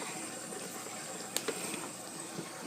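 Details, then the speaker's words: Sodastream (Jet or Genesis) carbonating water: after three buzzes, a loud buzz and steady soft hiss with short sharp bursts as the bottle releases pressure once fully carbonated; normal pressure release. "You see how it gave that loud buzz? That is it releasing pressure. This is why these bottles are so important."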